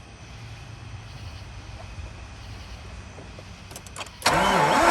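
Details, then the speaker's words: Mazda RX8 with a stuck alternator pulley, after removing a bolt and trying to turn it: quiet, then a loud wavering starter whir. The engine turns over but never catches; the pulley is still not spinning, and an internal alternator fault is suspected. "apparently the pulley is still not spinning"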